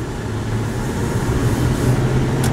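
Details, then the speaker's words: Regular-cab stock-height truck at idle with AC running: steady blower rush, compressor kicks on with no howling or whine; AC blows cold, heater warm, normal operation. "ac blows nice and cold the heater blows warm also you can hear there's no howling issues here the ac kick on"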